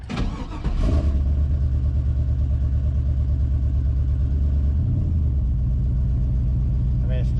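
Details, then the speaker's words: V8 cranks, catches within a second and settles into a deep even idle without misfire; this is after clogged injectors were fixed and an overtightened, leaking intake manifold was re-torqued properly. "sounds i mean it was running on all eight after i fixed all those clogs in the in the injectors"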